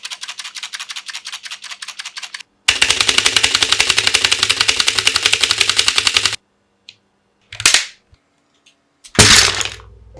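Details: Mechanical keyboard (Magic-Refiner MK16) before modding: fast, loud, sharp clacking, harsh and hollow on each keystroke; noisy keyboard later fixed with dampening foam, lubed switches and stabilizers, and fixes for rattling parts.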